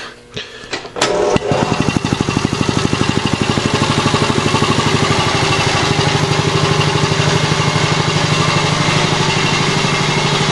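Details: Older used Quincy QR-325 two-stage 80-gallon vertical air compressor, newly installed with plumbing unfinished: motor kicks on and settles into a fast, even pumping thump, about three beats a second, with no knocks or rattles; normal start-up.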